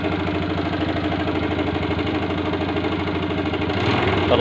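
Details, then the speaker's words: 2008 MX 4-speed motorcycle, original engine and exhaust: uneven, lumpy idle with faint irregular tapping about three per second; seller says engine knocks slightly (ngelitik), rough, needs service. "Motor masih orisinil ya, minusnya cuman mesinnya agak ngelitik dikit."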